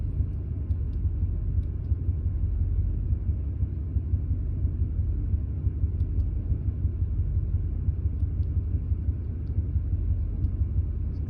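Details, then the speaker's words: 2001 Ford F150, warm at operating temperature, at idle: low, uneven rumble with stumbles and random misfire; runs perfect cold, spark advance and fuel trims erratic; owner suspects coils and plugs, not confirmed. "it started acting up once i reached operating temperature basically runs perfect when it's cold"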